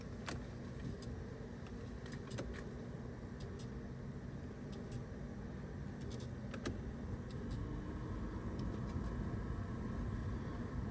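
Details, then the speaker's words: 1989-1995 BMW E34 5 Series blower fan after cabin filter and resistor replacement, key on: steady low whoosh with scattered ticks and rattles as leaves and debris fly out of the housing; fan works, air may not be cold. "okay that's working there is some debris flying out three you can hear some leaves in there yeah that's blown may not be cold but it's blown awesome good to go"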